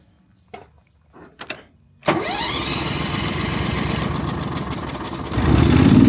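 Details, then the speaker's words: Hobart Champion Elite 225 engine welder after idle solenoid fix: switch clicks, engine fires and idles steadily, then jumps promptly to louder high run speed; the change from auto idle to run, once slow, is now instant. "But like I even noticed before when when I would use the switch to go from run to auto idle, it would take a while to do that. It wouldn't be an instant thing. It's instant now."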